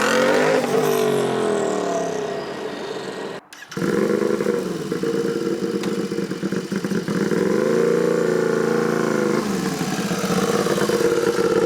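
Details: Turbocharged Royal Enfield, tuned custom build, warmed up: revs blipped up and down with a thin turbo whistle over the exhaust rising and falling with revs, described as brutal and beastly; normal spool, no fault.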